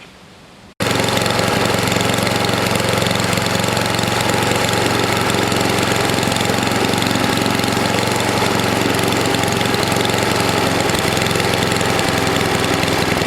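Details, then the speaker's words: NOMA 8hp snowblower single-cylinder engine with the plugged gas line blown clear, warmed up for an oil change: steady, even fast-idle running with no misses or knocks. It runs okay. "so so well it's running okay got it warm enough to get the old oil out of it so we'll do that"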